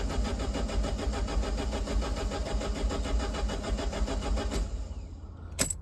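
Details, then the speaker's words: Neglected Alfa Romeo Spider, key in ignition: starter cranks engine steadily about four and a half seconds but never catches; confirmed no spark, attributed to the immobilizer. "That's the sound of a car with no spark, and I know it's got no spark cuz I checked. And I further know that that's the immobilizer."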